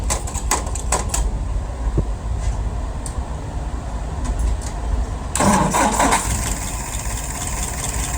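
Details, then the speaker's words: Restored and adjusted WO 539S carburetor: a few cranking clicks, then it catches and settles to an even idle around 630 rpm, float set correctly, no misses or knocks. "Well, let's go ahead and fire it up."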